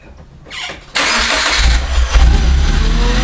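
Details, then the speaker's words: Supercharged Subaru Impreza, throttle body relocated ahead of the supercharger, restarted after fixing a massive vacuum leak and checking ECU codes: it cranks briefly, catches at once and settles to a steady low idle with no stumbling. Runs smooth. "well that sounds pretty smooth to me"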